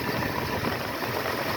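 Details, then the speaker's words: 1976 Ford F-150 with Motorcraft 2100/2150 carburetor during adjustment, warm idle slightly uneven and shaky with slightly low vacuum; owner suspects a vacuum leak; rough idle. "Another way that you can tell, see how the motor's a little bit shaky. It's not much, but I can feel it."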